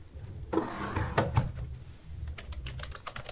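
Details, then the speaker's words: Keyboard after a DIY repair of a dead keyboard: quick, uneven key clicks and soft thumps, with every keystroke registering cleanly. Normal typing after the repair. "Can type anything you want. You can even go on a typing competition with it."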